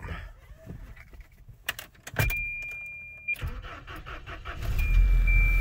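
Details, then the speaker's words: 1992 Volvo 240 daily driver, recently given new fuel pumps, fuel filter, plugs, wires, radiator, water pump and timing set: keys rattle, then a prompt start into a steady, even low rumble; it starts right up and idles fine. "i said starts right up idle is fine uh it's a good running car"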